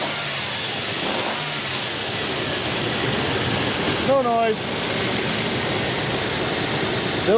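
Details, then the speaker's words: 2001 Infiniti QX4 3.5L at about 127,744 miles, after fitting a Dayco EPDM poly-rib serpentine belt to cure a noisy belt: steady even idle with no squeal or chirp; belt drive healthy. "so you can listen and that way you can hear that there's no noise this fix did work"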